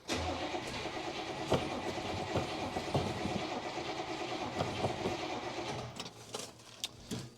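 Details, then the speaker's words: 1966 Buick Special small V8, sat in a backyard for years, fed from a nearly empty gas can after priming: the starter churns steadily with a few weak catches but never fires. Pump seems to squirt fuel; owner wonders whether the pump is bad. "on second thought maybe that pump is bad I don't know I hear it squirting fuel but do it the old-fashioned way I suppose"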